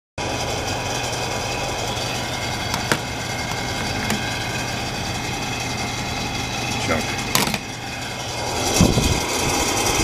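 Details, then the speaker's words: Noisy heater, fan running: loud steady droning whir with sharp clicks and rattles, unit very dusty; owner thinks it's time for a new fan. "what a racket [Applause] oh I think it's time to put a new uh a new fan on this is annoying"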